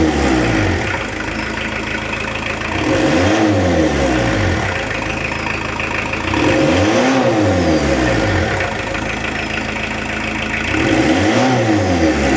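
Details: 1986 VW T25, 1.6 JX diesel, after an 8-year rest: revs rise and fall smoothly about every four seconds, even and free of knocks or rattles, blowing a little soot with no oil. Healthy.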